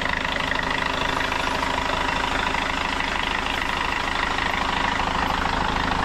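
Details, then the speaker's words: Hyundai Starex CRDI diesel after low-power top overhaul with new piston rings and cylinder head gasket, warmed up: steady, even idle with a regular clatter, no misses or knocks standing out, running quiet; a healthy normal idle. "Medyo mainit na po ang makina nito mga boss at ang andar niya tahimik na."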